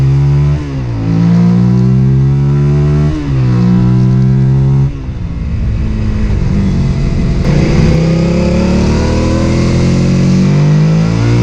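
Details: Suzuki SV650 V-twin revving up and down with an uneven, stumbling note and brief drop-outs on the pulls, a misfire.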